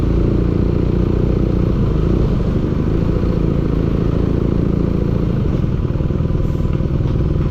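Engine running at a steady speed with a rough, clattery tapping at about four per second over the low drone; an engine knock.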